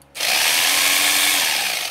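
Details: Philco All in One PR2 food processor that would not turn on, tested with switch bypassed (direct connection): motor winds up fast to a high, steady brushed whine, holds evenly, then spins down, running normally.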